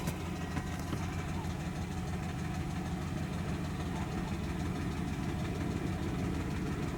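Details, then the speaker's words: Dodge Durango 4.7 V8, refilled with oil after oil starvation: low steady idle rumble with no loud top-end clatter; has oil pressure, so oil pump and bottom end seem good. Pickup blamed for sucking up debris; it later died on a rev, with engine damage said audible. "what's it doing it's got oil pressure sounds it's got oil pressure so the oil pump's good bottom end good but it's that that pick up it's just cuz it's sucking up so much crap"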